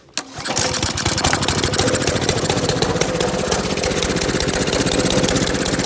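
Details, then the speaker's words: Honda GC 190cc single-cylinder engine after hydrolock, repaired using a penny as a makeshift key: quick catch, then a crisp, even, steady putter; engine runs properly. "hey guys guess what i got it running it actually starts"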